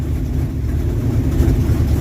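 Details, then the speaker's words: 1968 Dodge W200 Power Wagon, 383 big block, being revived: low uneven rumble with a loping, unsteady beat, won't hold idle. Carburetor faulty; one side suspected not getting fuel, possibly plugged. "the carburetor is not that good not really doing what we wanted to you don't want to idle and it's just not good"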